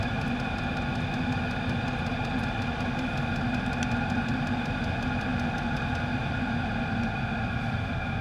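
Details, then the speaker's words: Chinese diesel heater after cleaning out following E08/E10 fuel-related errors, new fuel line and inline filter fitted: steady roar, fan hum and pump ticking on high with clear odorless exhaust; running perfectly, possibly a cap venting problem. "but I got that heater cleaned out and it's running perfectly"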